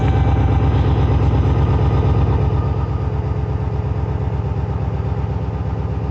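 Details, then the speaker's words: Junkyard 6.0 LS V8 in a 2500 truck on first start after the swap: rough, lumpy idle with light, fast ticking over the V8 beat and 40 psi oil pressure. Lifters are not yet pumped up and quieten shortly after. "I'm hearing lifters, but I've got 40 pounds of oil pressure. We'll see how that goes in a minute."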